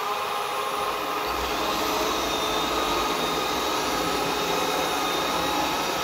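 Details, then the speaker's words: Ecovacs Deebot 901 robot vacuum, cleaning run after repair of a fault where it left the dock but couldn't orient itself: smooth constant suction hum and airy hiss, no rattle or scraping, now turning perfectly without touching. "As you can see now, it's turning perfectly, it's not touching"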